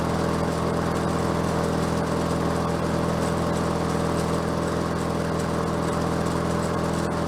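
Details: Bolens 22-inch self-propelled mower with Briggs Quantum engine, bought cheap and just revived (drive cables seized): steady even engine drone at constant speed, no misses, stumbling or surging; running normally.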